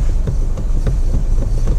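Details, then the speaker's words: 2015–2019 Honda HR-V driven over uneven road: dull knocks about three a second from the steering; common fault is the worn small rubber coupling in the column EPS motor, not the steering rack. "Model HRV ni dia selalu ada satu common problem. Stering ada bunyi."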